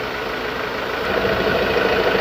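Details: 2016 Ford Ranger T6 diesel, after repair for an AC compressor not engaging, with pressures about 40 low side and 300 high side, judged normal: even idle with the compressor cycled in, a slight load rise, and steady smooth running with no knocks or rattles.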